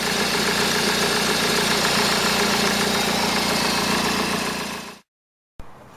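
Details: MK8 Honda Civic diesel idling after replacing tensioner and idler pulleys: steady, even beat with no rattle or chirp from the belt drive; previously the loud, rattly tensioner pulley caused rough running.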